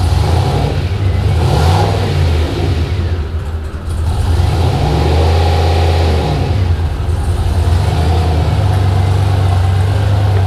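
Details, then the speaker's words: Turbo 5.3 LS S-10 on its first drive since the engine swap. A deep V8 rumble rises and falls with uneven, slightly stumbly pulls under acceleration; it still needs more tuning. "Obviously needs more tuning, but that's something."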